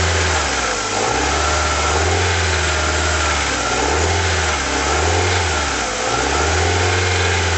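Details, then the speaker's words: Cold Rover 75 at 33°C with a bodged idle control valve, running rough as if on about 3–3¾ cylinders: a light rattle as revs drop on throttle lift-off. The timing belt mark sits slightly below the notch; the cause is unconfirmed. "You can hear there's a few rattles when you take your back off the throttle a bit."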